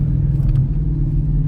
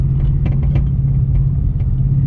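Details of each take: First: Mustang on air suspension after replacing a shock mount and collar blown by a freeway pothole: even low road rumble over bumps with no knocks, clunks or rattles; the earlier noise is gone and the rear suspension sounds solid. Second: Ford Mustang with air struts, driving after hitting a large freeway pothole: over road rumble, sharp irregular metal-to-metal knocks from the rear passenger suspension over bumps; owner suspected the air strut shock mount or worse, and found a broken rear shock mount.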